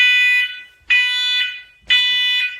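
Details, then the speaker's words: First Alert SMCO500V battery combination smoke and CO alarm, test button held to clear a 55 ppm CO alarm: three loud, shrill beeps about a second apart, each fading, meaning the alarm sounds properly. "So, I'm testing. Okay. Test and hold. Huh. It's pretty loud."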